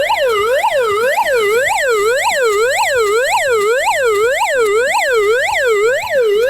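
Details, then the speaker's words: GoPower Flashlight radio's S.O.S alarm: loud wailing siren sweeping up and down about twice a second, steady and unbroken, likened to Pac-Man on steroids; alarm working normally. "It's literally Pac-Man on steroids, with not just this, which was reviewed in an earlier episode of the season."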